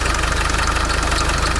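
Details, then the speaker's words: Land Rover Defender 300Tdi diesel at idle, first run: steady high squeak over the rumble from the engine bay; owner suspects loose alternator roller bearing, squeak gone after spraying WD-40. "Okay, so I think it's in the alternator. So basically I'm not sure why, but the roller bearing is actually loose, and then it's creating that noises."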